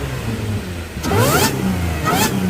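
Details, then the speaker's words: C7 Audi A6 3.0T with 034Motorsport 207mm crank pulley, stock airbox, cover off: two revs with a clean rising supercharger whistle over the exhaust; whine healthy, just louder. "I could definitely hear the supercharger a lot more"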